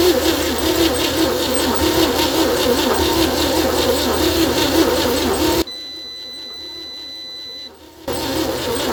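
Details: 1960 Chevy C10 235 six after 40 years sitting, on booster and charger, spark confirmed: starter churns at steady even rhythm several seconds then stops, never catches; owner suspects weak compression, blow-by, unseated rings; cranks no start.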